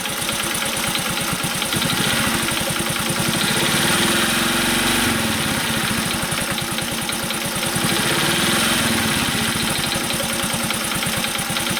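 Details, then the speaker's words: Honda Cub commuter bike, single-cylinder engine at idle: quiet right after a cold start, then once warm a fast, light ticking rides over the beat and fades when revs rise slightly; suspected loose tappets, tappet adjustment planned. "少しして、エンジンが温まると、カチカチ、音がします。"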